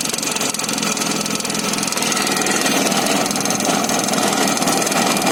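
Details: Izh Jupiter 5 two-stroke motorcycle just after starting: busy, uneven rattle and knocking over the exhaust buzz; suspected internal engine knock, not confirmed.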